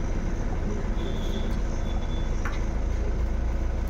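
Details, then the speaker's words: Honda Amaze diesel that had misfire, vibration, low pickup and check engine light with injector code P0203; after repair it starts and idles with a low, steady rumble and no stumbles, misfire resolved and revving properly; normal idle. "मैंने गाड़ी start कर दी है और missing का problem था solve हो गया है रेस भी हो रहा है बराबर"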